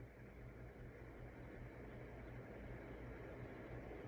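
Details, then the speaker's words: 1990s SMC ceiling fan, previously dead, after cleaning dirty switch contacts, running on high: soft constant airy hum, low steady drone, no ticking or rubbing; runs smoothly. "I think it's fast on high."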